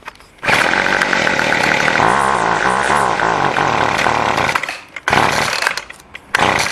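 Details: Two-stroke weed trimmer after carburetor adjustment: fires and buzzes at high revs, dipping and picking back up cleanly; carb is set and it runs fine.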